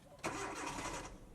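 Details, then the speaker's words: 2009 Hyundai Accent with an intermittent long crank, after new spark plugs, O2 sensors and a new crank position sensor: short stumble, then it catches with a sharp rise and settles to a rough idle; starting hesitates but is much improved. "We replaced the crank positioning sensor, and we're still having a bit of a hesitation at a start. Now, a lot better, it didn't take near as long, so I think that was a significant improvement."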